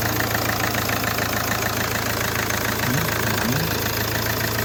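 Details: 2017 Hyundai Accent CRDi diesel running after its crank no-start problem was repaired. A steady, even idle with normal light diesel clatter and no misses; normal idle.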